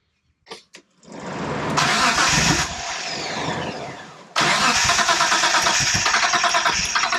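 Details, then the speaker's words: 1992 Dodge Stealth R/T Twin Turbo with the fuel pump relay in a rigged setup. It cranks briskly and evenly but never fires, and no fuel pump is heard. Ignition appears good and it seems to be in time; fuel-line tampering and a missing filter were then found at the rear. "but it would start on starting fluid which is a good indicator it's in time uh you've got ignition source spark but we still didn't hear the fuel pump"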